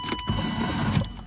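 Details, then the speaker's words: 1JZ-swapped BMW E36 with ongoing fuel problems, after it died and would not restart: a short high whirr with no cranking beat, so the starter free-spins. The fuel pump still runs; the owner is unsure whether it is only the starter. "What's weird is I can kick the fuel pump on, but the starter completely went. So I can show you that real quick, but it's just spinning, so I can't even try to restart the car."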